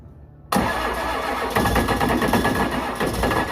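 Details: First test run of a 1993 Ford 7.3 IDI turbo diesel, low on oil, before a planned swap: it catches on the first crank and settles into a steady, even clatter with no knocks or misses; it runs and seems to have oil pressure.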